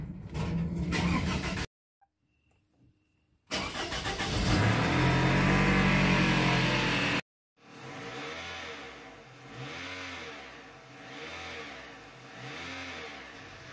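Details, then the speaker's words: Toyota Camry 35 2.4 2AZ 16-valve, started after reassembly with sealant cured: after a few revs the idle settles loud and uneven with a rhythmic knocking beat; engine knocks and burns oil, so it will be pulled. "Motorni ko'ryapsizlar, ishlash jarayonini. Mana shu zuvgi baland, motor stuk bo'lgan, maslar yegan, rasxod bo'lgan."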